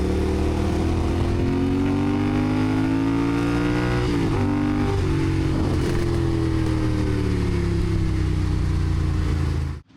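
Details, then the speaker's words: Yamaha IT490 two-stroke on test ride after exhaust refitted with new gaskets and carb swapped: revs cleanly up and down through gears, pitch rising smoothly without bogging; pulls strong on the pipe, normal running. "ran great. >> Yeah. >> Yeah. Really good. I mean, big difference between the two cars in terms of it throttle pickup, but actually when it's on the pipe, it it don't mess around. It really wants to go."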